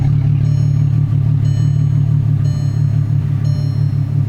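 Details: VW Mk4 GTI, after new ignition coil module, plug wires and spark plugs fixed a cylinder 5 misfire: steady, even low rumble at idle with a smooth regular beat, no stumbles or skips; misfire gone, idling cleanly.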